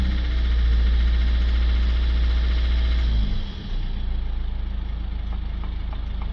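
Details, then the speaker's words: Citroën C4 Picasso 1.6 diesel after repairing the injector 2 circuit short (P0265): it settles into a steady, even diesel idle. The misfire is gone. "We now start it up and we should have no more misfire."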